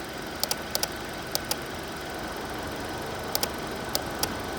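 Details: 2020 Hyundai Elantra at idle: sharp light ticks in uneven pairs over a steady idle hum; clear ticking, source not pinned down.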